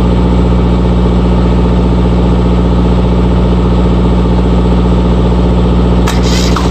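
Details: RigMaster APU diesel that had failed to start, after fixing an open circuit at the fuel-solenoid connection: steady, even diesel clatter at a constant low speed, no misses or surging; running normally.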